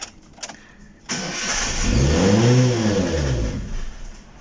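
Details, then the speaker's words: Chevrolet Spark, pump running but not sending fuel though gauge showed two bars: catches after short crank on sprayed cleaner in throttle body, revs briefly, then sags and dies; fuel starvation, empty tank. "ando la bomba pero no manda gas Qué quiere decir eso pues que no tiene gas de seguro pero aquí nos marca dos rayas dos rayas de gasolina"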